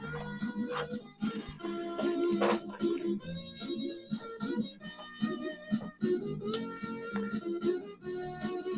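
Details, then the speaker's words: Commodore 64 (machine #2) after repair, SID sound chip tested via Easy Flash playing a test song: clean steady chiptune melody, crisp notes, even volume, no buzz, hum or dropouts; normal sound chip output, sounding pretty good. "sounding pretty good, so let's give that a little play."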